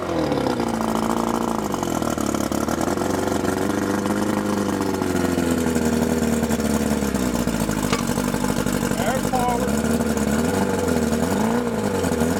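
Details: Mercury 50 hp Classic 500 four-cylinder two-stroke outboard, carburetors cleaned, electric starter, choke and key switch added, recoil start repaired, running in test tank; steady buzz, pitch wandering slightly with throttle, no misfires or knocks: normal running.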